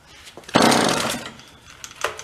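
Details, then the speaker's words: Vintage John Deere chainsaw from a roadside free pile, primed with choke: catches for about half a second, buzzes, then dies and will not keep running; owner suspects no fuel getting through, spark confirmed. "If it runs and dies again, then we know we're not getting any fuel. That's annoying. Yeah, that's what's going on. Kind of get it and not get it."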